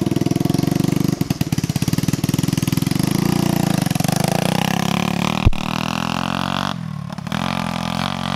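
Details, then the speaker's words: 150cc manual shifter go-kart on first test drive; engine pops unevenly at low revs then revs up with a thin flat drone, suspected to be running lean, not confirmed. "you can really hear how it's running lean"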